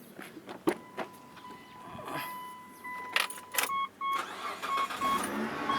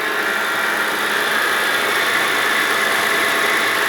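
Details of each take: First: Mitsubishi Pajero engine idling with a short, high squeak about once a second; owner suspects the idler pulley bearing and replaces the idle pulley. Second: Mitsubishi Pajero engine at steady idle after replacing the idler pulley suspected of a squeaky noise and refitting the fan belt; smooth even hum with no squeak or chirp, sounds healthy.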